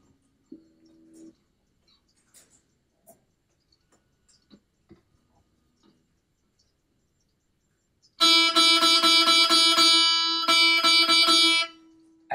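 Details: Guitar with a too-wide string slot in the nut: plucked notes ring bright with a sizzling, sitar-like buzz still present after filing the back of the slot; the slot needs filing deeper.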